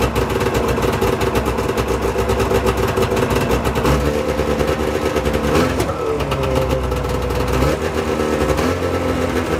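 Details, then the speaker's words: Arctic Cat ZL600 two-stroke snowmobile, first run after top-end rebuild (jug and both pistons off and refitted, washers added): buzzy steady idle with brief blips, even and crisp, no misses; runs good, normal idle. "i'm gonna shut the seeder off before i [ __ ] blow up but uh seems pretty good runs good"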